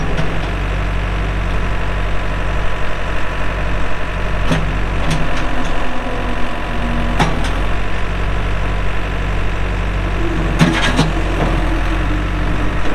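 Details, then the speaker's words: 2007 Case 580M Series 2 backhoe, 4WD, Extendahoe, pre-emissions diesel, 3,812 hours: deep, even diesel rumble with a few hydraulic clunks from the working backhoe; runs good, hydraulics strong, normal healthy running. "3,812 hours on a working hour meter starts up and runs good Hydraulics are strong"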